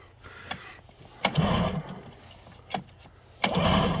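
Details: ZRT 600 triple snowmobile with old bad fuel: repeated pull-start bursts, each a brief ragged chug dying without catching; center plug boot was off, runs better once refitted.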